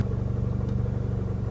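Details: MK7 GTI with APR Stage 2, before the South Bend Stage 2 clutch and single mass flywheel install: an even, steady low idle with no clutch or flywheel chatter.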